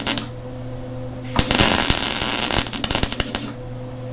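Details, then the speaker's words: Lincoln Electric Handy MIG welder: the steady arc crackle breaks into irregular sharp pops and spits, about three a second, where poorly cut metal leaves a much larger, pie-shaped joint gap. "Now, where you can hear it kind of popping and acting kind of strange, that's where we got, like, if you can see down here, we have a much larger gap."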